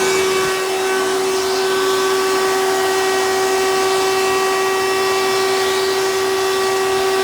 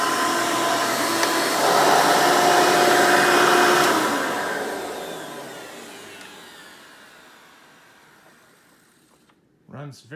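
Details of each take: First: 1992 Hoover Elite II 650 U4689-910 upright vacuum in hose tool mode: a loud, steady whine with a strong pure tone and extra high tones; the owner suspects the motor needs work; abnormal motor noise. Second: 1992 Hoover Elite II Total System Performance 650 upright vacuum, model U4689-910, original untouched motor: steady even roar, then smooth fading spin-down with no rattle or scraping; normal running.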